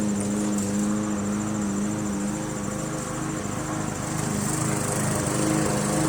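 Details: MTD Yard Machines 20" push mower, Briggs 300E, cutting grass after carb clean, throttle spring adjustment and draining water from the gas tank: steady, even drone, no hunting or misses; normal running under load.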